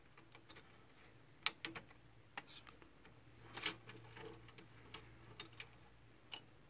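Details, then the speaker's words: HP LaserJet MFP 3055 printing a test page after repair: only soft ticks and light clicks as paper feeds, no gear grinding or rattle. Jammed lower-tray paper pickup and a dislodged solenoid were fixed; the printer now runs silently. "इसमें 2 मसले थे, वो दोनों क्लियर हो गए और ये प्रिंटर भी बिल्कुल साइलेंट है।"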